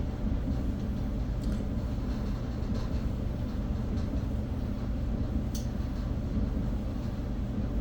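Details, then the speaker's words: Whirlpool dryer after replacing a bent blower wheel that was rubbing; test run to check whether the rubbing noise returns. Smooth, even low rumble with no rubbing or scraping; runs quietly and normally. "Dryer is on now, it's running. We're gonna let it run for about 2 minutes and see if that noise will come back."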